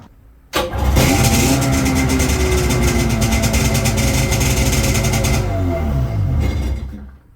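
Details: 1996 Sea-Doo Speedster twin engines after MPEM removal and rewiring; one engine catches at once into a steady even idle with clean firing, then the second joins and both run smoothly, normal start.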